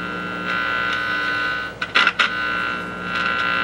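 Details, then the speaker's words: 1955 GE 14T007 television under repair, volume control center being touched; steady buzzing hum then crackly bursts, audio output stage works, suspected weak tuner tube or IF section giving poor signal. "okay which means it's capable of producing sound if you had a decent signal"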